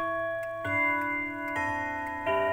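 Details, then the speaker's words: Old quarter-hour pendulum wall clock chime melody out of order: three separate clear bell strikes fading slowly as the chime train sounds notes one by one. "Ah, suara yang kacau itu seperti, misalnya, mendengar suara gong di nomor enam."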